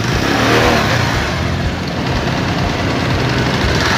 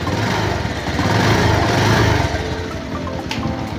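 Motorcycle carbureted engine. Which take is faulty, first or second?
second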